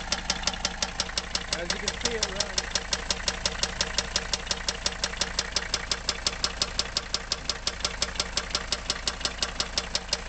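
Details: Mercedes W123 300TD wagon, OM617.952 turbo diesel, warm at idle, glow plugs disconnected: sharp even knock about three a second; rod knock, teardown showed bearing surfaces gone, not top end.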